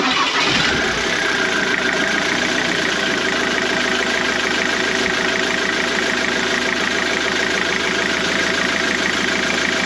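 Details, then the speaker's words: Car at steady idle: a dry, busy rattle over the engine note, not changing with speed; owner suspects a noisy worn crankshaft pulley, oil seal looks fine. "You know, in my original video I covered the worst of it, so yeah, I'll let you have a little listen to that horrible old thing in a minute."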